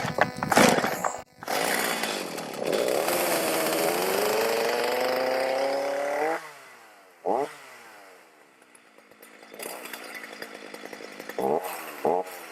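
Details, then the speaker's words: Stihl MS310 chainsaw on cold start after repair with no parts and raker adjustment: starts, revs clean, holds steady high scream cutting wood, drops back to smooth idle; normal running and cutting. "Not bad, little 310 on a cold start. No parts you need to repair. Back in business."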